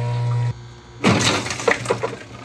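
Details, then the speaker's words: Scotsman ice machine in harvest cycle: steady hum cuts off, then scattered cracks and water splashing as ice, formed too thin, fails to drop cleanly; thicker ice via adjustment would help it fall. "okay so what's the problem it's a little bit thin so what's the problem here it's a little bit thin a little bit thicker would help possibly uh make it fall out"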